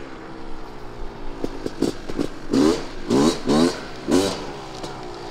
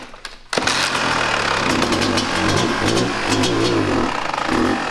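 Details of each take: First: 1998 Kawasaki KX250 two-stroke after repair following poor running since rebuild, ridden out: crisp blips into sustained high rev then clean drop; pulls freely; healthy revving. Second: 1998 Kawasaki KX250 two-stroke, rebuilt but running poorly, before repair, started on held choke: catches and climbs to high wandering revs with zero throttle; air leak suspected past crankcase seals; runaway idle.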